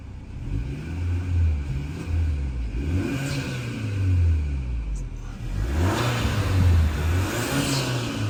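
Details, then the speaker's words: Hyundai Sonata N Line just started after fitting HKS M45XL spark plugs. The engine revs up and down cleanly several times with even firing, no stumble and no misfire. Normal revving. "Sounds good. Doesn't seem to be misfire or anything."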